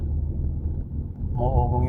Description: Nissan Patrol humming noise from wheel hub bearing.Rear hub bearing replacement.